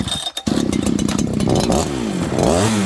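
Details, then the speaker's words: Farmertec 288 kit chainsaw, fresh build with earlier loose flywheel: fires and revs but pitch wavers and sags, won't take throttle even on fast idle and choke, after surging idle then going rich; massive air leak suspected. "Then it wouldn't idle. Then it was all of a sudden pig rich. It's like this thing has a leak."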